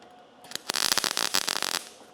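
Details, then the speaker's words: MIG welding sheet metal with the heat set too low: irregular, choppy crackling instead of a steady sizzle, the arc stuttering and the pool standing up. "it's kind of stuttery. And if you look at the pool, it kind of stands up a little bit."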